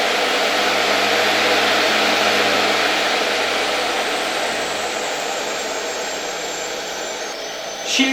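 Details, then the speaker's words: Electrolux model XII vacuum cleaner (1930–1936) motor on a voltage regulator. Smooth, steady, high-pitched whir with an airy intake whistle and no crackle or excess friction. Old bearings are faintly audible. "Silnik działa naprawdę fajnie, płynnie, bez jakichś trzasków, bez jakiegoś nadmiernego tarcia."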